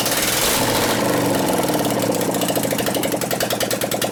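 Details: 2001 Gilroy Indian Chief V-twin race bike rebuild, running with no exhaust pipes: loud, uneven idle with lopsided firing as if one cylinder barely lights; a dead cylinder from ignition is suspected, not confirmed, and it ran poorly before.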